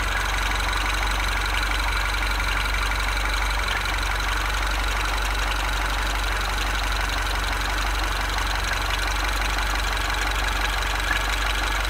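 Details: Car at idle: a faint, uneven knock of about three a second under the steady hum. Abnormal engine noise, cause not yet pinned down.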